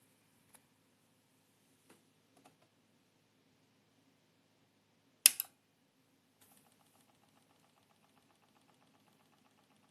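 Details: Seasonic Focus GX-750 PSU fan: faint fast ticking rattle, rising after a handling bump; replaced under warranty RMA, new unit near silent.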